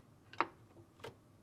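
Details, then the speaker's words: Whirlpool-family dishwasher (Whirlpool, KitchenAid, Maytag, Kenmore, Amana) float inside tub moved by hand: short crisp clicks as switch releases when lifted and re-engages when set down; float switch working properly. "The click is the sound of the switch being released as pressure is taken off of the actuator arm. When setting the float back down, you should hear another click as the switch re-engages."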